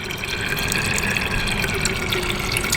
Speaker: so this one's nearly full you can hear the sound the pitch rise so that means this one is nearly full and then I have to do the other